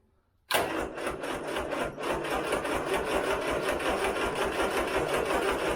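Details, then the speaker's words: Turner Ranger tractor, 1098cc A-series petrol engine, in neutral with hand throttle cracked open: sluggish, uneven, labored cranking that never catches; battery is corroded and weak, jump pack needed. "I think this battery is not the best you can see it's corroded"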